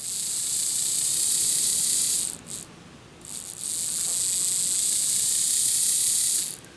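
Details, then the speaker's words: Lima Express Parcels van model railcar motor bench-tested with a 9-volt battery on the brushes before refitting wheels: thin high whir, smooth and even, briefly stops and resumes; motor spins freely. "okay so if I apply some power to the brushes on the other side here we've got movement"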